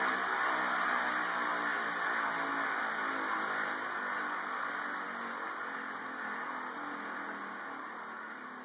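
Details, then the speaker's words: Telescope stand bearing: smooth, even hum with no knocking, ticking or grinding, slowly fading; a good, normal-running bearing. "That's a good bearing."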